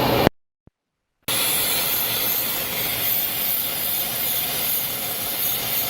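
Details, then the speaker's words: 3.6 L engine idling higher than normal (normal about 700–800 RPM), P0507 idle-speed-high code: steady sharp hiss from a vacuum leak at a split PCV valve hose; the noise changes when the hoses are moved. "When I move these hoses, the noise change right there. Uh-oh. That's it. All right, ladies and gentlemen. That is why this 3.6 6 L is idling higher than normal. I have a vacuum leak right there at the PCV valve hose."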